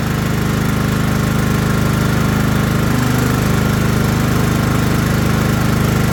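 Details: Craftsman LT1000 riding mower after restoration and steering arm install, deck back on: small single-cylinder engine runs with a steady, even chug at constant speed, no misses or rattles; normal running.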